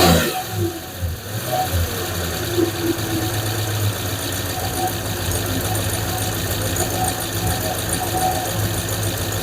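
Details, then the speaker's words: 5.7 Hemi V8 idling after replacing lifters: lifter tick gone, now a fast light puffing tick from an exhaust leak; owner also suspects a small vacuum leak. "Well, I'd have to say the tick is gone. It's just I got an exhaust leak. That's what we're hearing now."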